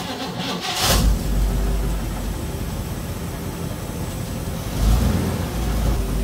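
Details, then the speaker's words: 1956 Chevy Nomad V8 idling after the rocker-rubbing valve covers were removed: low steady burble with a throttle blip and no valvetrain tick. The ticking and the oil leak should now be fixed. "all right two problems down more weird Ticky Ticky and the oil Le should be fixed"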